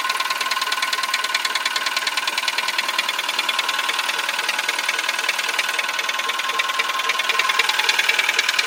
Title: Engine noise (piston slap)